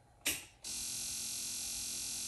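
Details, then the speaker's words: DIY fiber laser cutter gas control system, first test on oxygen: regulator clicks on with a puff then steady gas hiss, hiss frequency changing as PSI is adjusted; 0–10 V control signal confirmed, regulator working normally. "blow you can hear it turn on and if I change the PSI you can hear it the frequency change"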